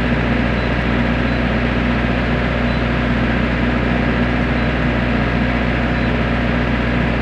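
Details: Diesel genset, earlier low oil pressure shutdown alarm: steady even drone with constant low hum, no hunting or misses; holding speed normally.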